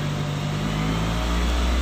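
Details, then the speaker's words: Nissan X-Trail T30, after tune-up, manual idle relearn unsuccessful: steady drone at idle with speed wandering up and down between 1000–2000 rpm without throttle; idle surging. "Hai pernah ini dia di RPM 1000-2000 dia naik turun ya teman-teman ya"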